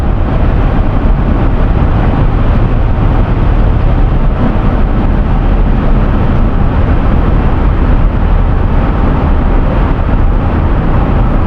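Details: 2011 Toyota Sienna AWD at highway speed after repairing the rear viscous coupler bearing that caused howling: steady even road and driveline rumble with no howl or ringing; rear driveline sounds healthy.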